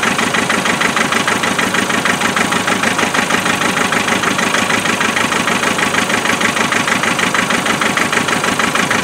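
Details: 2.5 NA diesel cold idle with uneven, lumpy beat and periodic stumble; cylinder misfire found via thermal imaging and injector spray-pattern test to be a faulty injector.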